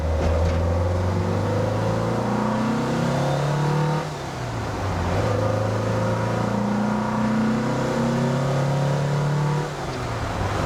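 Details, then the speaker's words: 1974 Porsche 912 engine, about 50 miles after break-in, warmed up, with 115 jets: two clean rev-ups from idle that drop back without stumble. At 1500 rpm it pulls cleanly, with the idle-to-main circuit transition smoothed out; still rich. "so now at 1500 it just goes it's running so much better that transition between the idle circuit and the main circuit is really smoothed out"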